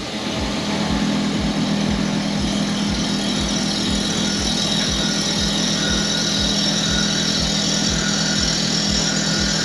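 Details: Toro Greensmaster 3250D cylinder mower reel on a spin grinder, wheel traversing slowly to remove taper before setting the program: rhythmic rasping contacts nearly four a second over motor hum, uneven as the wheel catches the high side of the tapered reel.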